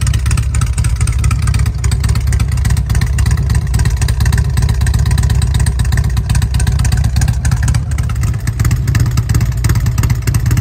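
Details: 2006 Harley-Davidson Road King upgraded from 88" to a 95" kit with ported and polished heads, tuned: deep, steady, lumpy potato-potato idle, even with no knocks or ticks; quiet exhaust "sounds like it's got paper in it"; healthy V-twin idle.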